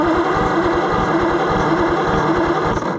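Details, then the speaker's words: Salvage-yard Oliver Super 77 gas tractor, engine possibly never rebuilt: labouring, uneven starter chug at a few turns a second that sags and dies out; slow cranking from voltage lost in a makeshift junkyard jump-box setup. "It's just we're losing a lot of voltage in this Mickey Mouse setup from the junkyard, so we'll just be sure to use the battery only to run the distributor, and then we'll crank it with the jump box just like that."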